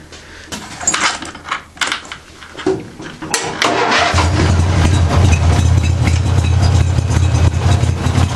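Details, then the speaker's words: Craftsman with 14 hp twin-cylinder Briggs engine: after a few cranking tries it catches and runs with an uneven, lumpy beat; one cylinder seems not to run right though spark is present; owner suspects compression or rings, unconfirmed. "one of the cylinders is uh is uh is not running right it's like it's like a sort of like a dead cylinder but it's actually still firing"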